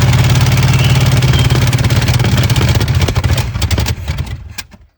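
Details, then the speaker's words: 1970 Chevrolet Chevelle, sat since 1995, new fuel filter, fuel fed from gas can: heavy rhythmic cranking about 3.5 beats per second, slowing then stopping without firing; no fuel reaching carburettor. "Still not coming through. Go for it. Okay. It's not getting gas at all."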